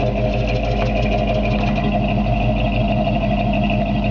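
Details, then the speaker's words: 1954 Chevrolet 3100 pickup on S10 chassis, recently rebuilt Chevy 350 4-barrel V8 with serpentine belt, hot day: steady, even low idle rumble with no ticks, knocks or unusual noises; healthy engine. "You can hear the engine just runs perfect. I mean, fantastic. No ticks or any unusual noises out of it."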